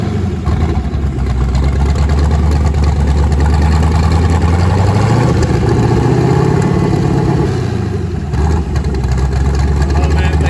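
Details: Twin-turbo LSX V8 Nissan 240SX first start after new turbo setup, on Holley Terminator X wizard base tune, fuel pressure not yet set, out of gear; deep steady rumble swelling smoothly with revs and settling back, no knocks or misses, normal revving.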